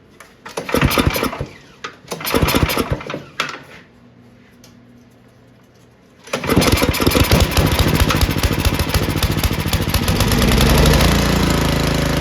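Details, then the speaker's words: Ariens two-stage snow thrower model 11528, sat for years, after carb blown out and cleaned, choke on at full RPM, good fuel from bowl drain; a couple of sputtering pulls, then a steady even high-speed drone without surging or misses; normal full-throttle running. "It just needed the carb blown out. Wasn't that bad, but we cleaned it."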